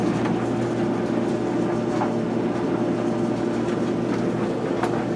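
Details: Kenmore electric dryer after motor replacement, first run with wet towels, heat not yet felt: even low hum with soft tumbling thumps, no squeal or grinding; new motor and drum running normally.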